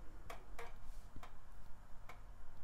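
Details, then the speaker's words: Amiga 2000 repaired with a bodge wire from 68000 pin one after battery damage, powered on and loading; sparse crisp irregular floppy drive seek ticks over a quiet room; normal floppy drive operation. "yeah we're getting to the disk drive in a minute but you can hear it working and you can see it loading because that's mouse pointer"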